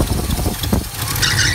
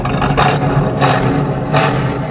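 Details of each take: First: Small-block Chevy 350 V8 in a square-body truck idling low and lumpy, nearly stalling as the distributor is turned to retard the ignition timing, before setting initial timing with a timing light. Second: Small-block Chevy 350 V8 in a square-body truck with Quadrajet, initial timing set to 12 degrees and idle turned down: seven quick throttle blips snapping up instantly, no longer lazy.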